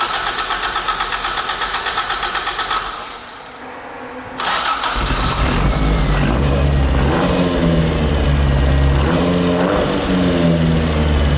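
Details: Carbureted AE86 build, restarted with a temporary throttle setup: it cranks, goes quiet, then catches into a steady, even idle. It is now running properly, and the owner concludes the carbs were the problem all along. It is still a little smoky, with a coolant leak.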